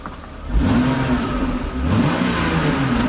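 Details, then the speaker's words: 1997 BMW 328i E36, long-sitting and said to have a blown head gasket (owner doubts it), free-revving from idle cleanly into a smooth even rev with no misses or rattles; temperature normal. Healthy free rev. "revs up nice um so we will continue on and uh we'll get our parts a coolant bottle and we'll play with it some more"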